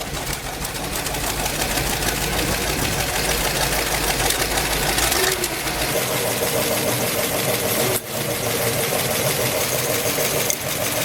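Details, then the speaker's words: BRDM-2 Russian armored vehicle just after its first cold start after winter storage; rough-edged but steady idle, a fast even chug with some clatter, settling smoothly, engine runs fine though smoking heavily. "Ale co po całym po całej zimie Pierwsze odpalenie Jestem bardzo zadowolony"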